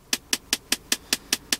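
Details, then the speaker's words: Nissan Primera P12 climate system with air conditioning on: sharp, crisp, even ticking about five per second, only when vent airflow is directed at the occupants, stopping in foot or windshield modes; source not pinned down. "при включении кондиционера появляется стук"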